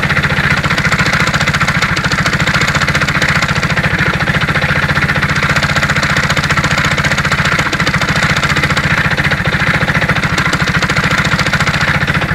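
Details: Alfa Romeo engine with 15,700 km, recorded before full teardown and inspection. It runs steadily with a sharp, regular knock about three or four times a second over the exhaust note: internal engine knock.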